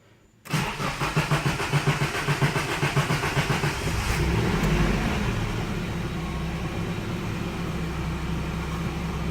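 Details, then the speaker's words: Nissan 240SX (S14) cold start after about 24 hours sitting, following fuel filter replacement for a hesitating throttle: brief crank, catches cleanly and settles to a steady even idle; normal cold start, sounds better than before. "so off the bat literally this is a cold start this hasn't hasn't been turned on in about 24 hours um it sounds a lot better already honestly"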